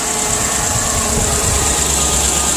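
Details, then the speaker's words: Chevy Silverado V8 after replacing the passenger-side exhaust manifold bolts: steady, even idle with a constant hiss, no ticking, quiet with the exhaust leak fixed. "all right so there you have it nice and quiet no more exhaust leak"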